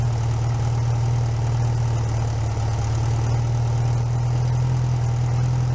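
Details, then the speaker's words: Rebuilt 1641 VW Type 1 air-cooled flat-four, bench-started outside the car, first run with choke mostly closed while cold: steady, deep, even idle hum with no knocks or ticks; normal idle. "so when it's running i'm going to try to not talk very much because you know it's just a running engine i'll have it running for a little while so you guys can hear what it sounds like and everything"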